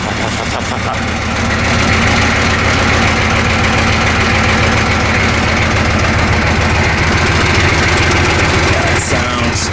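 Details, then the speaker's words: 1985 M1028 CUCV with GM 6.2L diesel and custom 3-inch exhaust with free-flow muffler: loud lumpy idle with a fast rough clatter on the exhaust beat, about three a second; loose exhaust brackets rattling. "oh that sounds terrible we got loose brackets listen to that"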